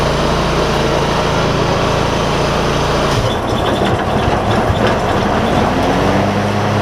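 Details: John Deere ZTrak Z915E, Kohler V-twin, sat 2 years; after carb clean fixed a sticky solenoid causing no fuel. Warm engine gives a steady even drone, settling slightly partway; normal running.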